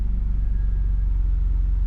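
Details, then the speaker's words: BMW E32 7 Series V12 after the instrument cluster repair, now able to throttle: deep, uneven, lumpy idle rumble, running real rough with the check engine light on; cause not known. "check engine light yeah that's expect it"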